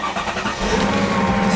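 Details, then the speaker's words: Salvage-auction car listed as a non-runner, started with a booster pack: the starter cranks briefly, then the engine catches and settles into an even run with no misfire; a clean, healthy start. "There you go. A non-runner that runs. Look at that."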